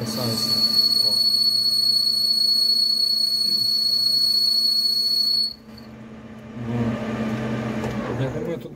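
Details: Lathe boring bar chattering during a cut: a piercing, steady high whistle holds for about five seconds, then stops dead. The squeal stops when a neodymium magnet is applied to the bar: boring bar chatter.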